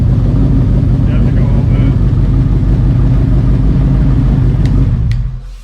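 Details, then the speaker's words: Cobra Daytona Aluminator V8 on a later restart, which was quick; deep, choppy, lumpy idle as rpm drops, then cut off; sounds nastier than the roadster, likely from the bigger Gen 3 cam; healthy. "yeah it sounds nastier than the roadster i don't know why it just sounds like it's got more of a cam to"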